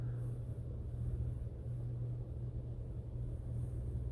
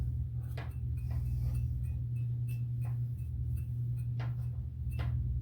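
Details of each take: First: Hunter ceiling fan after repair of years-long squeak caused by fins hitting a wire: low steady hum with no tick or squeak each turn; runs quietly and evenly, normal running. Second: Hunter ceiling fan that has squeaked for three years, partly disassembled: sharp light ticks about twice a second over a steady motor hum, a fan blade striking an internal wire. Owner also suspects the bearing where it rides on the top shaft.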